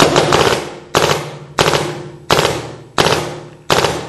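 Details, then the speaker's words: 2009 Smart Parts Shocker NXT paintball marker, new 2009 board in mode 2, PSP 3-shot burst with 1-second timeout; crisp even triple pops about every 0.7 s, cycling cleanly. "There you go. PSP 3 shot with a 1 second timeout."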